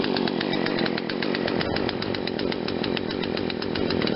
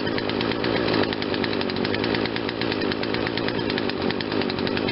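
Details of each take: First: Poulan Wild Thing 40cc two-stroke chainsaw after aftermarket carburetor replacement, choke off: starts slowly and runs unevenly at low speed with a slight stumble, owner thinks too rich low-speed mixture causing bog; happier at high speed. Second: Poulan Wild Thing 40cc two-stroke chainsaw after aftermarket carb fitted and a quarter-turn mixture adjustment, no choke: steady, even buzz at a slightly fast idle, not fast enough to need the chain brake, no surging or stalling; normal running.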